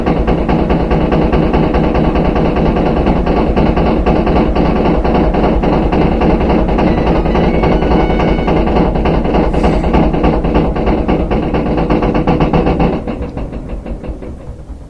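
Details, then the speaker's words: Front-load washer on high-speed spin: loud rhythmic banging and rumble from the back, growing louder, easing as the drum slows; excessive vibration indicates a worn rear tub bearing. "you can hear the bangings coming from the back it's louder and louder kind of banging around like that if it's empty you shouldn't be getting that much vibration but that's how you know you have a bad rear bearing"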